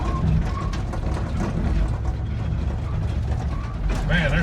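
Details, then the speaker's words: 1972 Chevy C20 crawling in first gear, transmission not shifting, bad carrier bearing, bed unbolted: heavy low rumble with a rough ratcheting grind under it, abnormal gear noise somewhere in the driveline. "noises i ain't ever heard in this holds thing"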